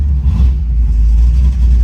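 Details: Sniper EFI engine pulling away out of the driveway after refitting parts and a reset, deep uneven rumble with brief stumbles dropping the note; misfire persists, injector duty cycle checked next, grounds suspected.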